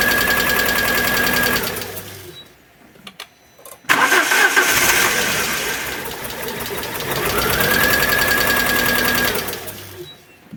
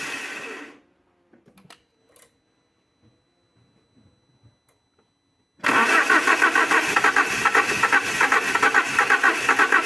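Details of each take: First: Alfa Romeo 147 Twin Spark, towed in with misfires, very rough idle and hard starting: lopsided cranking of about four pulses a second with one weak stroke, then catches and runs rough; one cylinder low on compression. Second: Alfa Romeo 147 Twin Spark, towed in for misfires, rough idle and hard starting, started after new valve seals and timing belt with oily coils reused: quiet pause, catches at once and settles into a fairly even, steady idle; normal start.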